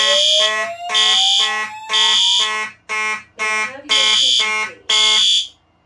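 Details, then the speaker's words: Notifier NFS2-640 fire alarm test with NCA-2, triggered from a Simplex conventional pull station through Simplex and System Sensor appliances: a DVC slow whoop rising repeatedly, then pulsed horn bursts and the default evacuation message. The evacuation signal works normally. "Okay, now I'll activate the second conventional pull station so y'all can hear the voice message up close."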